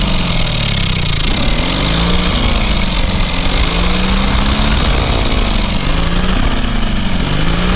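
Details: Small single-cylinder engine on a trailer-mounted cherry picker man lift, half throttle, water found in the oil and corroded intake: steady deep even beat, slight speed wander, no knocking or missing; runs amazingly well, normal running.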